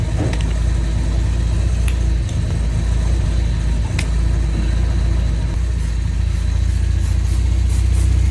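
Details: 1971 Volvo 1800E B20 four-cylinder on first start after a stop-gap head gasket replacement (bores rust-damaged) and fresh oil: steady low idle, even beat, no ticking, hissing or misses; sounds healthy.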